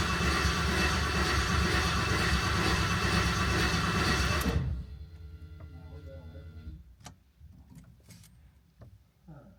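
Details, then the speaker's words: New LS V8 in a 1988 Ford Bronco swap, fuel pressure confirmed, starter fluid added: starter churns about three turns a second for four seconds but never catches; crank no start, cause suspected, not confirmed. "Go-Go Juice didn't make it go."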